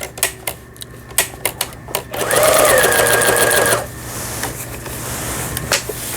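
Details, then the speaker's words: Pfaff Tipmatic 6120 German sewing machine, about 25 years old, after first repair: a few single clicks then fast even needle chatter, no knocking or grinding; runs clean. "폴리를 돌려서 위에는 정상적으로 박음질이 돼서 나오는 걸 보실 수가 있어요. 요 밑에도 됐습니다. 바느질 땀수 아주 고르게 박히고 있네요."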